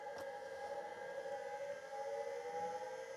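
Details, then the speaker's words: 1985 Plexus P/20 UNIX computer MFM hard drive: steady whine climbs slowly as platters spin up, no head clicks or seeks heard; spin-up with no head-loading sound, heads possibly stuck. "okay so obviously it's spinning properly but I was expecting more head activity sounds and it doesn't sound like it's doing it anything"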